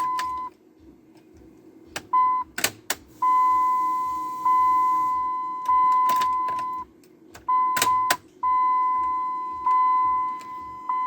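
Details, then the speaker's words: 2003 Dodge Ram 3500 dually being revived, with battery charger attached before cranking; repeated high single-pitch beeps in half-second to one-second bursts, dash lamp-out warning chime because the lamps are removed. "Look at that. It's telling me lamp out. I know that. The lamps are literally out."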